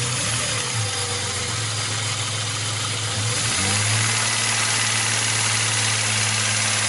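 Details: Opel Omega B at steady idle: fast, fairly even tapping of about four per second over the engine note; engine knock, cause not stated.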